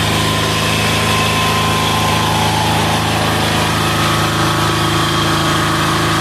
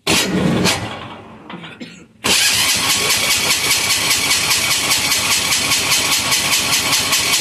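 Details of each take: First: Amazon 186FA single-cylinder diesel running on filtered waste vegetable oil: even idle clatter with steady low thump and no misses; throttle response okay, runs fine on this fuel. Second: Amazon 186FA diesel on waste vegetable oil filtered to half a micron, after running out of fuel: halting uneven turnover about two seconds, then catches into fast steady chatter; slow start from likely air pocket in fuel line.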